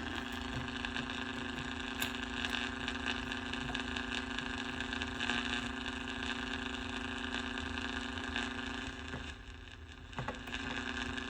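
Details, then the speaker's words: 1949 Packard Bell AA5 Model 100A radio at 120 V on a variac during restoration: steady low hum under constant crackly hiss, no reception; cause found as an IF coil lead accidentally cut while testing resistors, to be resoldered. "I'm not picking up anything though. I'll let it sit for a minute, see what happens. Found my problem."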